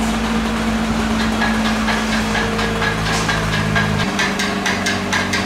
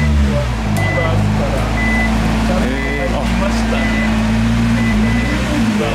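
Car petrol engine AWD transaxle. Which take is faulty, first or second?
first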